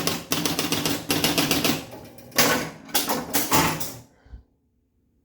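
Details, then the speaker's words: 1976 Gottlieb Sure Shot electromechanical pinball machine: fast relay and stepper clatter in bursts, then stops dead; the reset cycles but never advances to ball one and play, with no flippers working. "it kind of sounds like it's trying to do its thing but I think I'm not sure if I'm not as good with EMS but I feel like it's not advancing to ball one and play or something"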